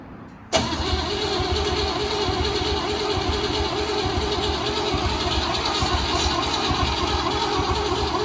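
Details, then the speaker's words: Project car engine fired for the first time on ether starting fluid, car on rollers: quiet, then a sudden catch into a steady, slightly uneven run that holds. "so we put a little starting fluid in there and then uh where's the starting food yeah I'll throw oh yeah we'll run it on ether let's see what happens"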